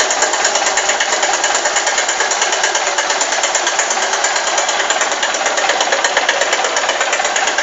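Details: Honda Titan 150 cc motorcycle right after start: rapid, even, sharp light metallic "tec tec" ticking at idle over the engine sound; top-end tick, cause undetermined.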